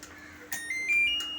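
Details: Godrej inverter AC PCB repaired for an F3 error, with the IPM mounted on its heatsink and resoldered, at first power-on: a few short high chirps stepping up in pitch, then a quiet standby hum. Normal power-up.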